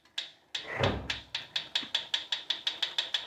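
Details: Proform Power C7L iFIT exercise bike: sharp rhythmic ticking, about six per second, keeping time with pedalling from the flywheel area. It has always ticked but is getting louder, and the wheel wobble is worsening. Bolts are tight and there is no visible rubbing; cause unknown.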